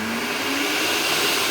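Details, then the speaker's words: Panson 2.5 L 4,500 W blender after cleaning the dirty commutator and carbon brush dust that caused burning smell and no rotation: steady even high-pitched whir, no crackle or speed dips; speed control works and the motor runs normally. "ครับตัวเร่งปรับระดับSpeedก็ใช้ได้ปกตินะครับใช้ได้เลยครับ"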